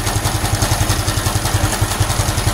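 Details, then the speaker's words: Honda Supra X 125 FI, warm idle after fitting racing valve springs: fast, even clattering pulses from the left side around the head, cam chain tensioner and magneto area. Cause not yet found; owner suspects the crank flyweight. Abnormal mechanical engine noise. "Saya belum menemukan permasalahannya,"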